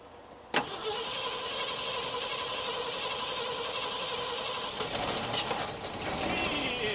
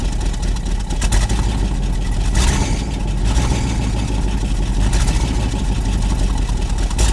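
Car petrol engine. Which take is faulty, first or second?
first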